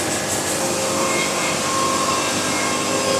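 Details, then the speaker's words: Basic hydraulic band sawmill quarter sawing (jelly roll method without chain turner), steady even cutting roar with faint high singing note from the blade, no catches or chatter; normal band saw cutting, "music in the sawmill". "Music in the sawmill. I hope y'all can hear that blade singing. It sure sounds cool."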